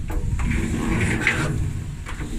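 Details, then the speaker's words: Used dryer, drum turned by hand: low, rough, uneven rumbling grind with scraping catches; was noisy the day before; owner suspects the drum rollers are gone. "maybe it's okay i think the rollers are gone on it yesterday was making a lot of noise"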